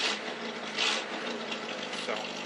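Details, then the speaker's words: Carbureted car after cold start, fuel poured into carb and float bowl: raspy puffing tick over a quiet hissy idle from an exhaust leak just below the manifold. "Once the starts, the fuel pump takes over, and you can hear I still got that exhaust leak by just below the manifold."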